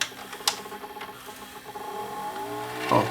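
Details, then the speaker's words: Panasonic PV-4361 VHS four-head VCR with shaking picture: light fast clicking and chattering from the tape transport in reverse search; capstan motor clicking, suspected drive fault with a missing phase. "works it just makes that just makes that clicking sound I have a feeling it's to do with the drive"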